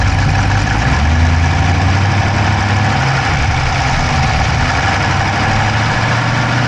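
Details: Dodge Charger Hemi V8 at idle, recorded inside the driver's-side engine bay: a fast, light ticking over the low rumble that keeps pace with the engine. No exhaust smoke, so the owner doubts a dropped valve; cause unknown.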